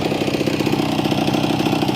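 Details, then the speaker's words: Motorcycle single-cylinder idle after ride, owner fighting carb running dry and slow to fill despite good fuel valve and filter: quick mostly even pulses with slight waver; idle better than in a long time but not fully smooth. "as you can hear I got the bike to idle really good it's not the best but it's better than water in a long time"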